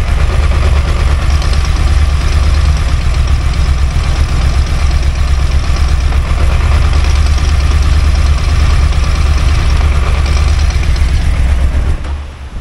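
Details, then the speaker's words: Yamaha Tracer three-cylinder motorcycle idling: loose, uneven rattle under the deep thrum that changes as the clutch lever is pulled, expanding the friction and separator plates; clutch basket damper spring play, normal on these bikes. "porque na hora que a gente aperta a embreagem eu tendo a abrir Expandir os discos separadores os discos de frição e o barulho aumenta se tiver alguma folga na Campana ela vai ficar mais proeminente"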